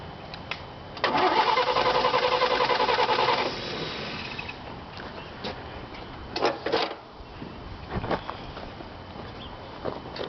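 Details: 1951 Chevy Deluxe with its 216 six-cylinder, sitting for years and needing a tune-up; starter churns about three and a half turns a second for a couple of seconds then stops; engine doesn't catch, cause unconfirmed.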